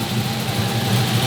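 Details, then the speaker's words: G-body drag car with salvaged 6.0L LS V8, RHS LS3 heads, aggressive cam, FAST intake, mufflered exhaust, oil cap off as breather, fuel pump loud at rear: deep, choppy, steady loping idle with no ticking or knocking, normal. "Let's hear what it sounds like out the muffled exhaust. Oh, buddy. Oh, that sounds good. You can hear the fuel pump really loud back here, but the exhaust."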